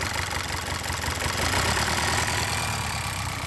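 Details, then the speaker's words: VW/Audi 2.0T with codes P0300/P0354, cylinders 1, 2 and 4 misfiring, at idle: uneven stumbling beat with irregular low thumps, random multiple-cylinder misfire; loose plug wire checked, plugs suspected, fix was PCV valve replacement. "and we got random misfires and watch here's the last cylinder I can unplug it without actually unplugging it so there's your misfire I bet you all these plugs need to replace and we'll try there"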